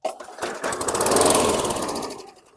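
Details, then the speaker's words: 2008 WeedEater 22" mower, 158cc 500-series engine, flooded in a hurricane, oil had poured from muffler: pull-start catches, rattles up about two seconds with uneven firing, blows lots of smoke, then stalls. "Blew a lot of smoke but stalled."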